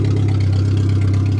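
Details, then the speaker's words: Suzuki Swift 1.3 after welding repairs, running on a makeshift fuel system with tubing to a tank in the cabin; steady, low, even hum with regular firing beat and no ticks or knocks; fired up easily, healthy idle. "Well, I hear it running. Oh yeah, simple as that. It works perfect. This thing fired up great this year."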